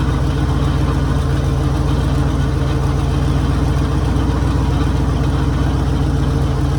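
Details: 1966 Mercury Monterey big-block V8 after fixing a fuel leak, water pump leaking: deep, even rumble with a steady beat and no misses, knocks or ticks; idling smoothly and healthy.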